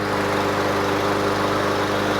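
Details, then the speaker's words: Briggs & Stratton 550EX engine on a 21-inch Yard Machines mower, just after carburetor cleaning and running on ethanol-free gas; started on first pull with a steady even drone, no misses, surging or knocks; runs smooth, normal running. "That runs smooth too. Sounds great to me. Perfect."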